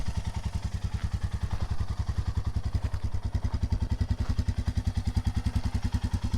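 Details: Royal Enfield Himalayan single after many miles on a trip to the 2021 Sturgis rally: even steady thumping at a relaxed idle with no knocks or ticks; runs really perfect.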